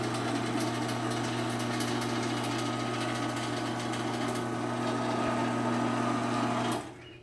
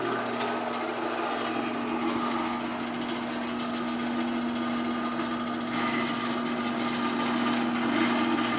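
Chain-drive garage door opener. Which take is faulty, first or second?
second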